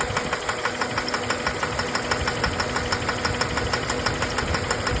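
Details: 2004 Jeep Grand Cherokee WJ 4.0 petrol engine at idle: crisp fast even tick keeping time with engine speed; owner unsure of the knock's cause and suspects smoke is from the intake manifold gasket.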